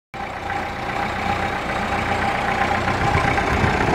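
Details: Ferguson TEF 20C diesel tractor after rebuild of injection pump and engine, charger/dynamo currently broken: steady, even diesel clatter at idle with no misses, knocks or hunting; normal idle.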